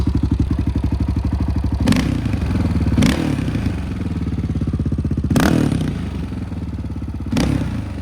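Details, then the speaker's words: 2008 Honda TRX700XX, 686cc fuel-injected single-cylinder, in neutral after repair and reassembly; fired right up and thumps evenly at a fast idle, a few loud knocks from handling. Engine runs healthy. "put it back together and she fired right up sounds pretty good go ahead and listen to this baby purr fuel injected"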